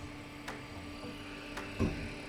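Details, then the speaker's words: Dreiha CBX portable freezer with F2 error, just powered on: faint steady hum with light clicks, noise possibly from the compressor rather than the fan. Moving wires gave slight rpm change, then it stopped; owner suspects fan cable problem. Abnormal compressor noise. "okay so we connected it to power it is starting there is some kind of noise here which i don't know if"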